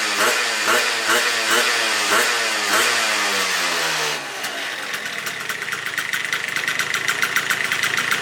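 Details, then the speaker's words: Yamaha Vino two-stroke scooter with 70cc big bore kit, 19mm carb, aftermarket variator, clutch and 1500 spring, freshly rebuilt: small blips then a steady, crisp buzzing idle with no misfire or knock; normal idle. "Motor is complete. And this thing runs like a dream now."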